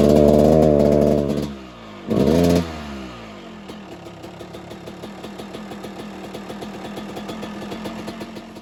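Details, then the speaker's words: 1997 Suzuki RM250 two-stroke that won't rev out and bogs past about quarter throttle. Two short throttle blips flatten out, followed by a ragged, popping idle at about twice a second. "It gets power, on the low end, but it bogs really high after about quarter throttle-ish."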